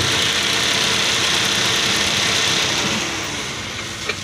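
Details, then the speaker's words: Toyota Vios radiator fan motor at high speed: loud, rough hissing roar with faint rapid pulse, noise comes and goes; worn fan motor bearing, to be replaced. "ah fan talaga fan sobrang ingay yung bearing nito sobrang ingay yung fan niya malakas si kaso maingay pag maging pigil malapit stock up yan kaya palitan natin maingay fan niya"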